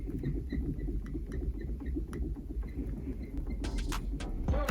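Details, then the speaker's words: Renault Clio 4 five-speed gearbox, gear lever moved: short high squeaks, two or three a second, from dry shift cables and linkage whose original grease is gone; fixed by lubricating cables, latches and shaft. "роби власники буває звертаються що втако от робиш ричагом чи сюди і такий писк"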